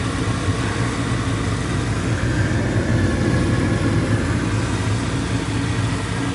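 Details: Old gas furnace blower that had been noisy and buzzing with a burning smell, heard after the blower motor was oiled, cleaned and blown out with compressed air: a loud, steady rushing hum and low drone with no knock or squeal, running smoothly.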